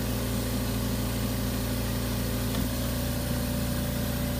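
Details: Air compressor (AMC 20) after cutout pressure switch adjustment, cycled 15 times through its pressure range: steady, even motor hum that shifts note once as it cycles, with no popping or knocking; the compressor is running normally.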